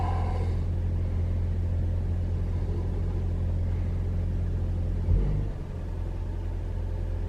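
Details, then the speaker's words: 2021 Toyota RAV4 Prime SE, engine on in hybrid mode at night, 45°F, warming coolant and charging the battery: steady even low rumble, no knocks or whine, no heat pump noise; normal engine run. "Okay, engine's on. It's in hybrid mode."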